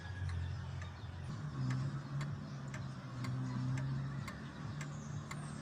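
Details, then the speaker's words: Vintage/antique pendulum clock after leveling and setting the pendulum swinging: crisp, evenly spaced tick-tock about twice a second over low hum; pendulum in beat. If not in beat, level it or have a technician adjust inside. Clock in beat. "You can hear a tick-tock sound. If it is not in a tick-tock, that's the time you need to level it."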